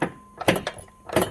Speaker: you hear that clunking so basically the converter is loose on the flywheel